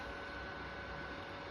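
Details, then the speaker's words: PlayStation 3 fat running Dead Space 2: steady, loud airy roar with a faint high whistle on top; cooling fan running flat out under load, owner unsure if normal. "так я игру запустил но приставка начала гудить как истребитель"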